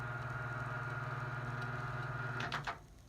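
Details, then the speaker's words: GE box fan motor after service with a replacement switch, running on high: a smooth, steady low hum with the washers faintly audible and no rubbing, then a click and spin-down. Normal running; the C-clip rattles on low and medium. "So we appear to be running. You can hear the washers in there a little bit. But I think that's smooth, so I like that."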